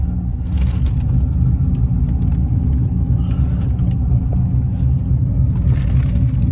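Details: C7 Corvette V8 after cam replacement following failed cheap eBay lifters, test drive around the block before the dyno; deep steady rumble while cruising, smooth, no ticks or knocks; normal engine while driving.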